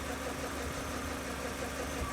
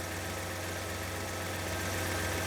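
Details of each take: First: BMW E31 850i V12, revived after 10 years' neglect, idling with belts off: uneven rattling chatter over the hum from inside the engine; stethoscope traced it to the timing chain tensioner. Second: BMW E31 850i V12, revived after ten years stored, idling smooth and even with light rev blips after the timing chain tensioner was replaced (new piston and O-ring); the earlier chain noise, normally heard within 20–30 seconds, is gone.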